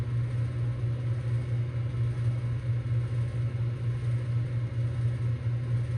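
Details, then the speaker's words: 2024 Bryant heat pump, about one minute after first start in heating mode: deep, steady low growl with slow pulsing rumble and rattling that fades slightly; compressor growling, possibly loose parts inside, needs dampening (suspected). "It's still growling though."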